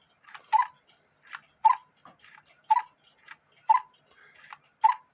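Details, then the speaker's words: German quarter-hour cuckoo clock with water wheel, after bellows wire repair, reinstalled in case: soft low note then louder higher one about once a second; both cuckoo sounds work, though not perfect. "you get two different sounds."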